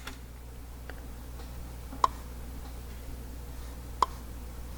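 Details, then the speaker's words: 1961 Ford F100 Unibody straight-six, out of the truck, turned by hand near bottom dead centre with the piston skirt just outside the bore. Two sharp pops come about two seconds apart as something catches in the cylinder. The engine had a ruined head gasket and three cylinders lost compression. The cause is suspected, not confirmed. "less though that was a pretty good pop it's definitely not going away"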